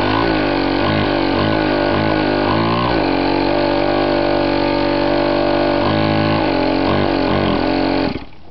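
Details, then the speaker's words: Chinese 50cc two-stroke pocket dirt bike that was hard to start, after a cleaned replacement carburetor and clean air filter, now starting first pull: crisp buzz revving freely in quick blips, then settling, with no misfire. Separate transmission problems are suspected. "said it was really hard to start now it starts on the first pole"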